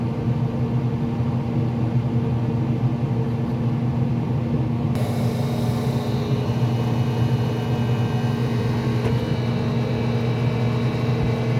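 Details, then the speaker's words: Traeger grill after control board replacement, auger motor now running; steady low fan hum then a harsher rasp as the fan blade strikes the orange wire left touching it during reassembly. "I think I got some wiring I need to do some wiring inside cuz this noise looks like it's touching the wire somewhere let me fix this"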